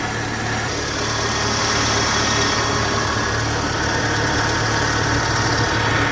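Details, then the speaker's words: VW Gol G4 at idle after replacing a poor-quality belt guide pulley bearing that caused the belt chirp: smooth, even idle with a steady low hum and no chirp or squeak, so the belt drive is normal. "o barulho da correia tava devido a esse rolamento de má qualidade que P aqui na ponta aí ó sem nenhum barulho mais ó"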